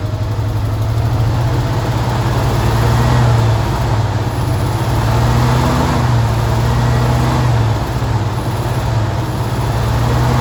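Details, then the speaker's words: 1978 Chevy C10 base 2WD, carbureted straight six with Monojet, automatic: smooth, even low idle rumble, steady rhythm, no misses, ticks or knocks; idle fine though it hesitates under load. "I'm gonna shut up for a second and let y'all listen to this Sweet Straight Six song."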